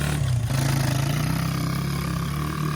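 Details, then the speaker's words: Honda XR100 or Yamaha TTR90 pit bike single at idle, fitted with a different CR7HSA plug: dull, regular knock riding each firing beat, suspected lower rod bearing, not confirmed. "think it's just the lower rod bearing. It ain't a big deal."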